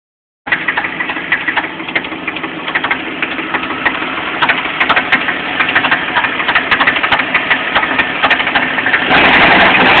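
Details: Jeep Cherokee at idle: sharp, fairly regular knock about three times a second above the running engine; owner suspects loose flexplate bolts, not confirmed.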